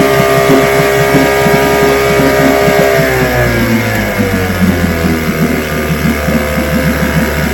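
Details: Restored then repaired vintage outboard, day four test, started at full throttle: crisp, even two-stroke firing at a fast steady beat, no misses or stumbles; running healthy.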